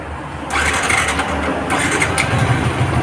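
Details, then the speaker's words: Yamaha New Vixion motorcycle with starter faults: broken wiring, a bad button and a damaged starter bendix. On electric start it catches almost immediately after a short crank and picks up into a steady, even run: normal starting. "Nah, ternyata mesin bisa hidup ya."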